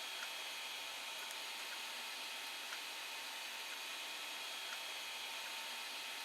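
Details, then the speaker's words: Creality Ender 5 Plus with replacement silent TMC2208 board, printing: quiet steady airy hiss of part cooling and hot end fans, no rattles or ticking; normal fan noise. "it takes a second or two and then it comes on so some of the fan is the part fan noise and the hot end fan noise"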